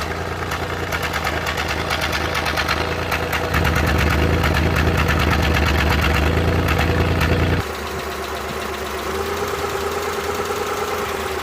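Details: Suzuki Multicab F6A engine at idle with a slightly uneven, lumpy beat and occasional stumbles under a steady hum; random misfire being troubleshot.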